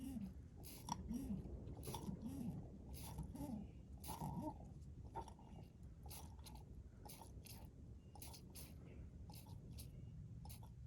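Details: Flathead four-cylinder engine after carburetor and fuel pump work, with fuel added to the tank to feed the carb. Soft rhythmic squelching pulses about one a second, then settling as fuel reaches the carb: the fuel pump works normally.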